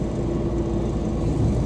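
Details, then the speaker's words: Cammed LT1 Camaro with an automatic and a converter of maybe around 3,000 rpm, driving: a steady low-midrange howl rides over deep engine and road rumble, a noisy rear end (differential). "I don't know if you guys can hear that rear end"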